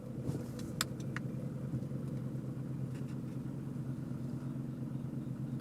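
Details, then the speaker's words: Toyota Camry warmed up, after the idle relearn reset following a battery disconnect: idling at a stop after a drive, settles into a smooth steady idle, no stumbling. "smooth as silk turn the ac on ac off just like new"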